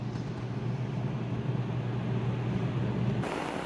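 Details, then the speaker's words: Outdoor condenser, air handler set to cool at 68, blowing warm air: only the steady low fan hum and airflow with no compressor drone underneath; compressor not running. "condenser 1123 and I hear the fan running it doesn't sound like there's a compressor running"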